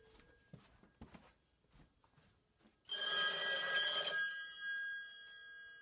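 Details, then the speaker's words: A home PBX calling itself over C*NET through a PAP2T ATA inbound gateway. A single bright electronic ring burst of about a second in a quiet room. The line rings normally on the incoming call, which stops after four rings. "can hear we are calling ourselves through this inbound gateway and after four rings it stops"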